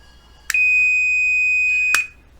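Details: 1938 Montgomery Ward Airline 62-365 Teledial tube radio, on/off switch being repaired, continuity test: a single steady high beep about 1.5 seconds each time the switch closes; switch makes good contact, fixed.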